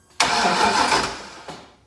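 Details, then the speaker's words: V8-swapped BMW E36, crank test with an injector pulled from the rail: starter spins briskly about 1.25 seconds, never fires; injector stays dry, injectors not firing though power and ground test good, cause unknown; crank no start. "oh just crank the river and as you can see it is dry which is not good means the injectors aren't firing and I do not know why"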